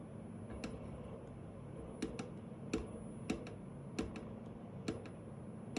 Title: Weird noise coming from one of the actuator